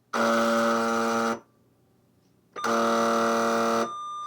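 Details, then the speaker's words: U.S. military AN/UGC-74B communications terminal dot matrix printer that won't print, fault suspected electrical: loud steady buzzing alarm sounds about a second, pauses, then again; carriage fault alarm, cause not yet found. "The alarm goes off again. Oh, it did a line feed there. Yeah, I'm not exactly sure what's going on, but uh definitely a problem."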